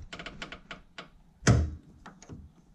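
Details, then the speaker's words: Fox body Mustang with Flaming River steering rack: light, uneven clicks and one heavier clunk as the steering shaft is worked back and forth by hand at its flat spot where it enters the rack bearing; steering rack clicking. "yeah you can hear it clicking right there I'm just moving it back and forth like you know on this flat spot here on the shaft"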